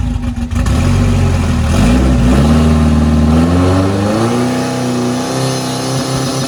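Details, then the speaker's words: Mitsubishi Eclipse GSX AWD turbo drag car, quick nitrous test hit at 4000 rpm, not held long enough to build boost on the large turbo: hard throaty surge as nitrous hits; black smoke. "all right so that was just a quick uh test hit of the nitrous so that was at 4000 rpm and i really didn't hold it long enough to build up boost"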